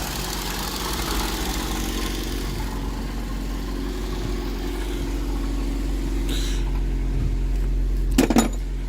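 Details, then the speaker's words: 2007 Ford Focus that wouldn't start because of an aftermarket alarm/immobilizer; after disconnecting the alarm it idles with a quiet, steady low hum, even beat, and no misses, knocks or hunting. Normal idle. "We disconnect the aftermarket alarm, and that's it. The car is running fine."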